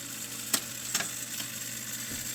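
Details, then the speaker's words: 1976 Rowe/AMI R-80 quadraphonic 45rpm 200-selection jukebox: sharp clicks and clunks over faint hiss, no music; changer picks and returns records and selector spins, amplifier on, but no sound, possibly the cartridge. "I mean it's picking out a record and putting it back nicely that's important and the selector is spinning and and doing some selecting that's important amplifier is on but it's just not making a connection"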